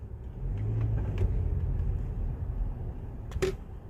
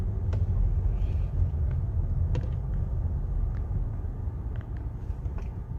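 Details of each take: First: Test drive after the cause of a clicking noise when driving slowly or braking was removed from the cabin: steady low road rumble, no repeating tick or click; cabin now quiet. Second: Car on slow test drive in quiet industrial area: sparse, irregular sharp ticks over low road rumble, customer complaint of clicking when driving slowly or braking; problem judged not in the car itself, a loose golf ball first suspected.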